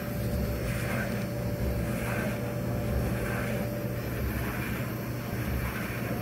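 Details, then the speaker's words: Frigidaire Electrolux Affinity gas dryer after circuit board replacement, first test on high heat normal cycle. Steady low motor hum with a soft swish about once a second as the drum turns normally; exhaust feels warm. "i'm not sure if we'll hear the gas fire go off i think i hear it"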